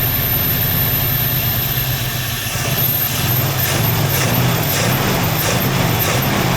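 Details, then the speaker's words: 1968 Ford Mustang barn find sitting 30 years, carb still very wonky: old V8 holds a low, somewhat lumpy idle on its own without dying, showing the fuel pump is working. "It's running on its own. Look at that. No way. Fuel pump is working."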